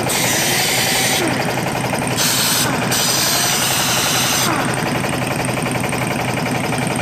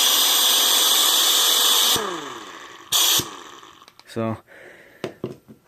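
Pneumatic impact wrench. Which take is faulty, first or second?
second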